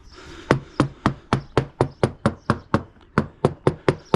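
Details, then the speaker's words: Older fiberglass sailboat deck core inspection: hammer taps give about fifteen crisp, sharp rings in four seconds with no dull thud; no squishy feel underfoot, so the deck is solid with no soft spots. "Even when I bounce on the side decks, there's no squishy feeling. It all feels very, very solid underfoot."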